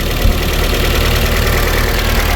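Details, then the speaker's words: Ford EcoSport after replacing a noisy replacement drive belt and removing a washer wrongly fitted in the belt drive: low, even idle, steady rhythm, no squeal or chirp from the belt; normal idle. "Yan okay na to, wala nang ingay oh. Sir, wala nang ingay no? Wala na siyang ingay."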